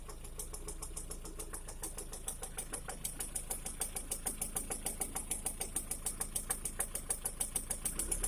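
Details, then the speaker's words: 2011 Lada Priora engine after piston kit replaced with gapless rings, at idle warmed to 60 °C and above: light, fast ticking knock around three per second over quiet hum; origin unclear, hydraulic lifter (compensator) mentioned. "После замены поршневой на бесстыковую при прогреве до 60, от 60 градусов и выше начинается стук мотора. Непонятно откуда исходящий."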